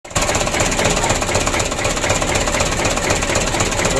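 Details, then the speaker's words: 2007 Mitsubishi Canter 125 diesel, first start after rebuild for blow-by and oil burning, not yet warmed: heavy, uneven knocking idle about four a second with shaky rhythm. Rough idle, cause not confirmed; idle to be raised once warm. "Euro awal hidupnya seperti itu temen kalau tidur kita setel kita panas dulu nanti kita naikkan sedikit lega saya supaya tidak goyang"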